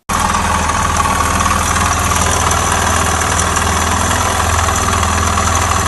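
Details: Suzuki Djebel 250 that made noises, then stopped while riding and would not restart: single-cylinder idle with a steady low thump and a dull knock on each firing beat; engine knock, source not pinned down.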